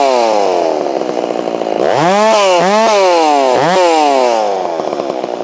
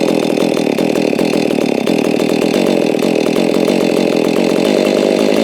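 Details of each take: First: Holztfforma G660 chainsaw milling, which had been losing power at top-end RPM, tried after warming up: a strong high-revving note sags and recovers through the wood, holding in the cut without bogging; low end may still need adjustment. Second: Holztfforma G660 chainsaw, warm, during low-speed screw adjustment, and four-stroking slightly at the top as intended; it runs fast and raspy with an unsteady flutter that eases near the end: low-speed mixture still too lean.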